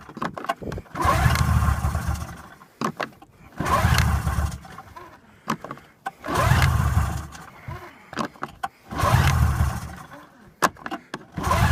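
Four bursts of steady starter cranking about two seconds each, engine turns over evenly but never catches; cranks without starting.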